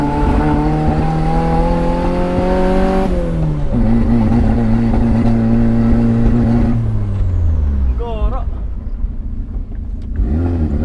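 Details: 1989 Toyota Corolla small body, free-revving after backfiring: revs rise and fall but the note turns ragged and uneven, stumbling rather than pulling cleanly; misfiring, electrical fault suspected, mechanic's verdict a loose connection at a box, to be tightened.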